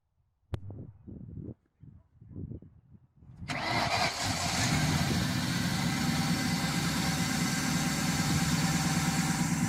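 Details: Vehicle with no crank, no start fixed by replacing a bad battery: after some clunks it cranks, catches at once and settles into a smooth, even idle with no misses; normal start and idle.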